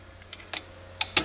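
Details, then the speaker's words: 2005 Toyota Tacoma 4WD rear drum brake, new shoes, adjuster spring correctly engaged, star wheel turned by hand: crisp light ticks about six in a second and a half, locking the opposite way; normal adjuster ratchet clicking. "So if I try to turn it inside right now, it will not let me, it will be against it. However, when I try to turn this way, do you hear the clicks?"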